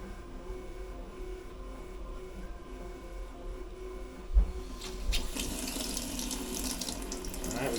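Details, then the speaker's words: Cold water tap on a resurrected, previously sunken 2021 Leopard 50 catamaran: low hum, then a strong steady rush of water, no sputtering; good cold water flow. "Alright, we got good cold water flow through. Yeah!"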